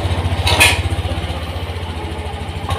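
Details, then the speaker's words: Honda Beat FI (Euro 5) after ECU reset via front brake switch clearing stored DTC: steady even idle pulse with no stumbles, no longer hanging, picks up smoothly and more responsive; normal idle. "Oke ini ya enggak bengong lagi ya Kalau tadi kan bengong"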